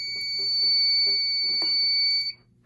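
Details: Home fire alarm test with an SK2 panel (broken resistor, no batteries). After the Firelight BG12 pull, a loud, steady high-pitched horn tone sounds for about two seconds, then cuts off cleanly. The horn works.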